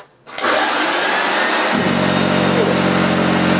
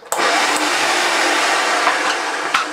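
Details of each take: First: Hoover Junior 1436 Mk1, early plastic-hood model, running on carpet: steady motor hum with a strong even beating from the brush roll, no rattles or labouring; agitator running healthy. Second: Early plastic-hood Hoover Junior 1436 Mk1 vacuum cleaner runs a steady, even motor roar with a dry, rough edge under the airflow; owner thinks the motor bearings are a little dry.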